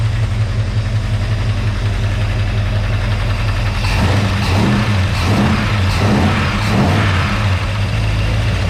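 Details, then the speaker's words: 1946 Chevy pickup with a 350 small-block V8 at first start, timing not yet set, warming to about 193°F: steady low idle with light, uneven ticking on top; lifter tick at idle. "so yeah she runs how well I'm not too sure bit of lifter noise too scared to go anywhere near that now"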